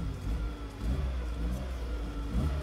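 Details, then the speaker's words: 2000 Fiat Panda Young (141) engine on a very hot day after rebuild for worn rings and oil burning: new rings, valve seals, lapped seats, oil pump, timing chain and tensioner; smooth even low hum with gentle rev swells, no ticking or knocking, healthy. "un'altra cosa io un motore di panda così silenzioso non l'ho mai sentito"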